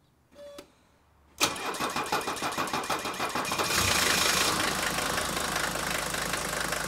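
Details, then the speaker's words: 1980 Mercedes 300D non-turbo diesel cold start with no pre-glow and no throttle: about a dozen even cranking beats, then it catches cleanly and settles into a steady clattery idle, no stumble. "now remember not only did we not pre glow we didn't even touch the throttle"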